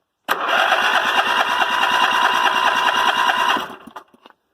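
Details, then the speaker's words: Westwood Gazelle W11 ride-on mower single-cylinder engine, plug found completely sooted: catches and runs a few seconds with rough, slightly uneven beat, then cuts out; running rich. "the spark plug was that completely suited up so I was definitely running farty rich"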